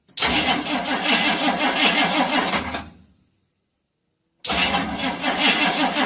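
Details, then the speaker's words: Chevy whose starter would not stop cranking, after a remote solenoid fix on the S terminal, with a somewhat flat battery. The engine turns over about three seconds, cuts cleanly to silence, then cranks again; the starter now releases properly. "okay the battery is a bit flat but we'll turn it over and that works"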